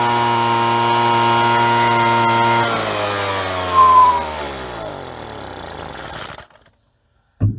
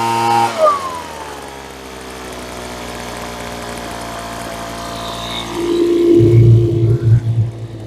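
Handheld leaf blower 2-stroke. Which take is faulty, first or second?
first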